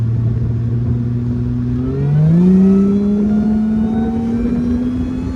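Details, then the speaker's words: Mercedes SLK320 with M112K supercharger making about 13 psi, third-gear full-throttle pull without downshift, 87°F day, intake air about 100°F after several pulls: clean engine note climbing smoothly with faint blower whine; healthy supercharged pull. "This thing gets up and goes, man. That was basically like a 3rd gear pull, not downshifting, not nothing, just ran it all the way out and did pretty well."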